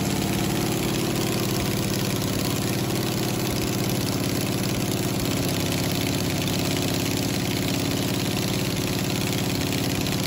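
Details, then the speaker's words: 1969 Camaro 396 big-block V8 idling: uneven loping beat with occasional stumbles/popping from intermittently weak number seven cylinder; exhaust lifter checked good, intake side of number seven suspected mechanical cause. "so after about a minute of running it started popping again so i decided to had to be something mechanical"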